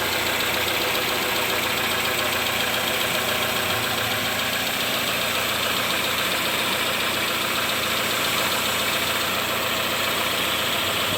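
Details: 2011-2015 Chevy Cruze 1.8L idling after timing cover gasket and timing cover replacement for heavy oil in coolant; leaked oil and coolant burning off. Steady, even idle with smooth hiss-like running, no knocks or ticks: normal, healthy idle.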